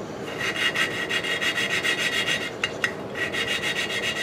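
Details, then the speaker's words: Lapping the exhaust valve on an antique Briggs & Stratton 5S engine with coarse compound, seat initially poor: steady back-and-forth rasping that evens out and gets smoother as valve and seat mate. "You can hear how it gets, the sound gets smoother."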